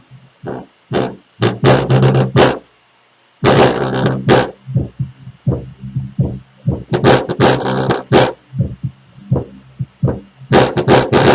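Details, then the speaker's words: Music through a speaker box with a raspy buzz on each bass hit; pressing the cabinet stops it: loose, opened-up wooden enclosure panels, not a bad speaker. "quando eu aperto ela o barulho o barulho para quando eu solto continua Quer dizer então que essa caixa está trabalhando aberta tá ela tá aberta aqui"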